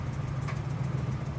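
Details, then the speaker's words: 1998 Ford Explorer after holding about 2,000 rpm for five minutes to warm up: low lumpy idle sagging and starting to run rough with faint hiss; owner suspects vacuum leak at a sealed dead-end vacuum tube off the air breather. "okay so right now the uh as you see it's still dropping okay now it's starting to starting to rough a little"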